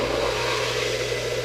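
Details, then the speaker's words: PH7 4-stage RO/DI mobile pure water cart, pump pressurizing the RO with the waste valve set to about 80 psi: steady motor hum with hissing water rush, even and unwavering; normal pump operation making pure water. "You can hear the pump pressurizing. You can hear the water being made."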